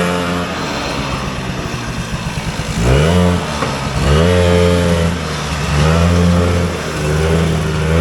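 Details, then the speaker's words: Vintage single-cylinder Polaris Colt race snowmobile on test, on a warm, humid day: it blats and flutters, then revs rise sluggishly in uneven surges, bogging on acceleration; it is suspected of running fat rich, and richening rather than leaning it is planned. "all right so it felt like it was just fat rich and today is warm and humid actually feels like it could rain which leads us to Fat rich"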